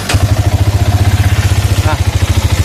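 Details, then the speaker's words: Used Yamaha Vixion motorcycle at about 11,600 km on the odometer: heavy, rough low thumping at idle with a clattery edge, about ten pulses a second; badly worn piston area and connecting rod suspected as the cause of the engine knock, not confirmed. "bisa didengarin suaranya gembrungsung parah untuk bagian bagian piston ini parah nih suaranya nih"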